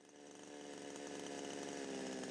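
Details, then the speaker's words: Two-stroke chainsaw idling too fast: engine revs high and chain running before throttle is pressed, a steady fast buzz well above normal idle; fix is adjusting the T-screw (idle screw) above the two mixture screws. "in this instance the engine revs are high and the chains running before we press the throttle so it's worth adjusting the third screw labeled t-screw"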